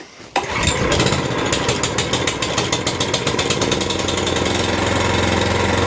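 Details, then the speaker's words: Suffolk Punch 14SK petrol cylinder mower. It runs fine on half choke, but off choke its speed surges and sags unevenly instead of holding steady; the hunting is put down to a carburettor issue needing a clean. "So as you can hear, it runs fine on half choke, but when you take it off of choke altogether, it's got that little tiny annoying hunt Put it back onto choke again, half choke, and it gets rid of a hunt. So we've got a carburetor issue."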